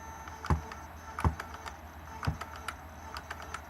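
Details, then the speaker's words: Mercedes S-Class throttle body (ASR) on the bench, known working piece connected to a working module, power applied: sharp clicks about once a second, each with a clean thud, throttle clutch coil activates normally every time. "so here we have the power coming on so there we have it so basically coil is active"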